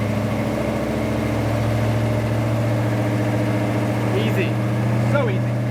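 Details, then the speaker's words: 1972 Dodge Dart Swinger, new V8 with a Comp XE268 cam and Flowmaster 40s dumped before the axle, warming up on fast idle: deep, even burble with a steady pulse and no misses, ticks or knocks. Normal, smooth idle. "Fast idle's on right now. Let it warm up for a second. Idle smooth."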